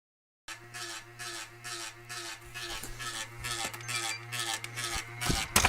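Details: Xbox 360 (2013) at startup: steady low buzz with hissy bursts pulsing about three times a second; owner wonders if something is hitting the fan, cause unconfirmed.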